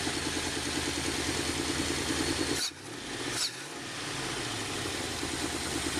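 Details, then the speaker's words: Warm wood-gas truck with an automixer idling unevenly on poor-quality wood gas after sitting off for a while: the idle lopes, then two sharp stumbles nearly stall it before it recovers. Rough running from bad gas. "now I think we're heading up for a stretch of some bad gas here so yeah since I'd had the truck off for a while that uh that's where that bad gas came from"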